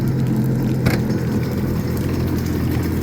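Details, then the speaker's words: 2004 Honda F-12X turbo jet ski, about 210 hours, after jet pump rebuild to cure clanging from the rear: steady even drone with a quick rev blip, no clanging; only a ladder rattle heard; normal running. "Wow. Listen to how nice that sounds. Real quiet."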